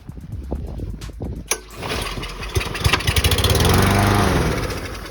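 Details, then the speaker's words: Craftsman lawnmower with a Briggs & Stratton engine that sat all winter. After the air filter was removed and starter fluid sprayed into the carburetor, a few pull-cord chuffs, then it catches and runs steadily; normal start. "you just spray some starter fluid right in there and that should get"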